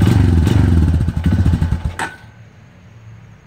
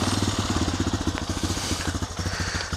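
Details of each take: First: 2002 Honda TRX250EX quad left outside under a tarp for 10 years, first start after fuse replacement and fuel additive: uneven single-cylinder idle with rapid knocking, cuts out and restarts; stethoscope places knock near the clutch, owner hopes clutch adjustment fixes it. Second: 2002 Honda TRX250EX quad, sat outside 10 years, after work and reassembly: quick even single-cylinder putter about fifteen beats a second with no misses; idle sounds steady, healthy and better than before.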